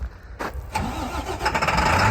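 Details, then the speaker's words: 2012 International Durastar 4400 crane truck, International DT 466 turbo diesel with 219,000 miles: brief crank then catches at once into a steady, even idle; starts right up and sounds healthy. "It's got 219,000 miles on an International DT Series 466 turbo diesel that starts right up. You can hear that now. It sounds great."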